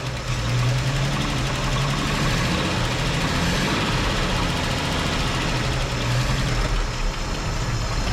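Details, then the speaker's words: 1958 Chevrolet Apache long sitting, first run on fresh oil with zinc additive, rough idle with light valve train ticking, blamed on not being oiled in a while; then stalls. "it was running guys it sounded like we had a little ticking going on but it ain't it ain't oiled up in a while"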